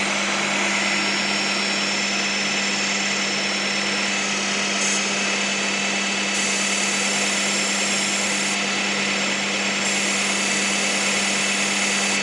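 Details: 1998 Honda Prelude idling, oil light flickering at idle despite fresh oil and filter: hard, steady high-pitched whine over the engine, not from power steering, pulleys or timing belt; owner suspects failing oil pump.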